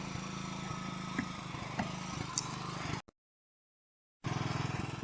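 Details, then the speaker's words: Kawasaki 9hp single-cylinder engine after replacing a new spark plug that had failed: quick even putter holding steady, cutting out briefly, then picking up cleanly; runs like clockwork, normal running. "Là, je peux vous dire, il tourne comme une horloge. Juste la bougie."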